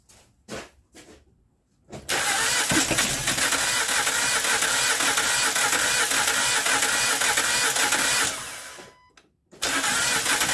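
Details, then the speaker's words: 2012 Honda Crosstour (Accord-based) V6 whose timing belt broke while accelerating, bending valves: the starter spins the engine fast and unusually freely, an even whirr with no firing and hardly any compression; maybe one or two cylinders hold compression. "okay this that's exactly what it sounds like sound like it tried to hit one or two cylinders probably got some compression all the other ones don't Time belt broke while she was in motion and driving"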